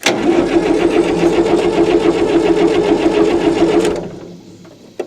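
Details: 1960 Massey Ferguson FE35 4-cylinder diesel, long unused in a paddock, first start attempt after fitting a battery, checking oil and water and adding fuel; steady rhythmic chugging about three and a half beats a second for four seconds, then cuts off: cranking.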